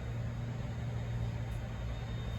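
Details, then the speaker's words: Residential central AC not cooling: compressor drawing about 73 amps trying to start, steady low hum with no start-up and no fan; failed swollen dual capacitor kept both compressor and fan from starting. "look at that 73 amps is trying to start let's check the other one"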